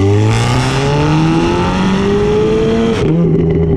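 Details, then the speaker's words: Audi S3 with newly installed induction kit, driving with windows closed: engine pulls hard with rising exhaust note and an airy intake hiss, hiss louder than the exhaust, then lifts off; normal for this intake. "when I'm driving you can hear the hissing even when the windows are closed louder than the the exalt that the exhaust"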